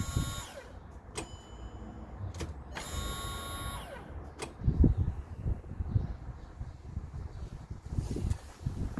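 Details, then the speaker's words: VW Golf Plus 1.9 TDI 90 bhp manual, new in-tank lift pump connected but not yet submerged: with the ignition on, a short high electric whir that stops after a moment, then handling clunks. The pump primes correctly; normal fuel pump priming. "uh so it's plugged in at the top so when I turn the ignition on we should hear that uh like here the motor come on yeah so I'll switch the ignition on now"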